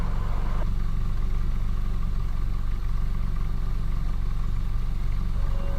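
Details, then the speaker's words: Suzuki Ertiga 2017 manual after the misfire problem: low, steady, even idle with no stumbling; vibration back to normal, exhaust now quiet, no longer the ship-like drone. Normal idle. "Pansin ko yung ano malaking pagbabago, hindi na siya yung parang barko ang tunog."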